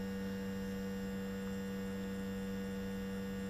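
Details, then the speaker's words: Zenith 4-B-231 radio after synchronous vibrator rebuild, plugged into its socket: faint, steady, fixed-pitch buzz, humming right away, with B+ voltage higher and better than before; vibrator supply working properly. "I'll go ahead and continue to watch the B+ voltage that this is much better than what we had before and it's humming right away so it's pretty cool"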